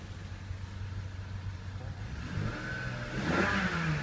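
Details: 2000 BMW 528i E39 after fixing cylinder 2 ignition coil, which cured the cylinder 2 misfire: smooth idle rising cleanly into a rev with no stumble. A squeal remains, possibly from rain; check-engine light still on.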